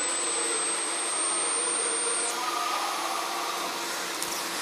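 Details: LM324-based 12 V to 24 V boost converter: thin high coil whine that drops sharply in pitch as output voltage collapses under load around 17–18 V; inductor whine from failing regulation.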